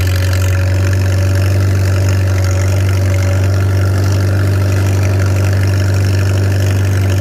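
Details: Farmall 300 Row Crop, 600-hour tractor, test drive after exhaust manifold replacement (original rusted through) and clutch adjustment, camera on chest rig; steady low even thrum, no knocks or slipping noises; healthy, clutch grabbing where it should, TA working.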